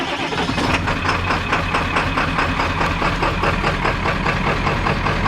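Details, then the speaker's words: 1995 Ford F-350 XL Powerstroke diesel cold start at about 50°F after waiting on glow plugs, new starter: cranks, catches and settles into a steady, slightly lumpy clatter with some blue smoke; runs pretty good, normal old-diesel cold start. "Runs pretty good. Yep, usually old diesel smoke a little like that."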